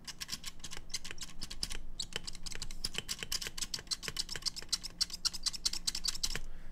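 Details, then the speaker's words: Ace Pad Tech Hall effect magnetic keyboard: rapid spacebar presses clack with a thin, high squeak on each stroke from a faulty spacebar stabilizer. This is likely specific to this unit and probably fixable with lube. "On this particular one, something also went weird with the spacebar stabilizers, because it's the squeakiest spacebar I've ever heard."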